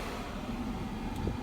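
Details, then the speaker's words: VW Atlas HVAC fault: a steady low whooshing rumble from the rear blower running strongly, while the front vents move barely any air on auto; cause not yet found. "Barely anything coming out. Barely anything coming out. That noise you hear, that's from back"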